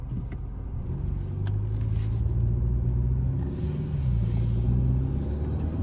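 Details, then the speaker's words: 2020–2023 Hyundai Sonata N Line after installing HKS M45XL spark plugs, heard from inside the car. Starts right up with a deep, even rumble, revving and pulling steadily with no stumbles or misfire; smooth, healthy running. "it started right on up all right so car started now we can uh rev [Music] it sounds good doesn't seem to be Mis fire or anything"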